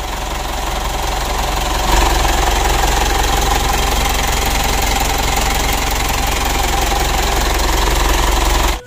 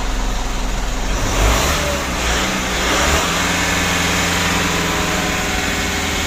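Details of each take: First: 2012 Mitsubishi Pajero Sport Dakar diesel, engine revved on throttle test: loud coarse clatter with a rubbing, scraping edge as if something touches inside, then shut off; mechanic judges the turbocharger damaged, turbo removed. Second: Mitsubishi Pajero Sport Dakar, about 2012, diesel, after removing, cleaning and refitting the turbo that caused a rough rattling noise: revs up and settles into a smooth roar with no turbo rattle or chatter; turbo noise fixed.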